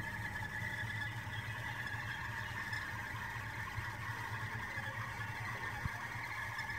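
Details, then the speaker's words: Toyota Aqua/Prius C with the car and AC switched off: steady high thin whistle over a quiet hum, coming from the AC pipe and compressor rather than the engine; normal, occurs after AC use in hot weather. "जो आवाज़ है, ये आवाज़ आपके इंजन से नहीं आ रही, ये आपके जो एसी का पाइप है और एसी का कंप्रेसर है वहाँ से आ रही है।"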